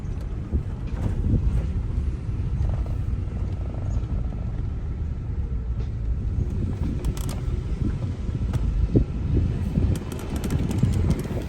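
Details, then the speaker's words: Range Rover at about 168,900 miles, on a low-speed test drive with the windows open: steady tire and road rumble, no scraping or grinding; normal brake operation. "So far so good. I do not hear any scraping."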